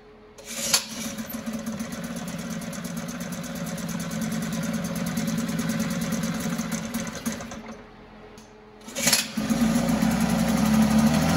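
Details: 1974 Mercury 4 hp single-cylinder two-stroke outboard in a water test tank after revival: buzzes at a fairly even beat, fades and quits, then fires again; keeps dying after primer-bulb priming, owner suspects a tired fuel pump.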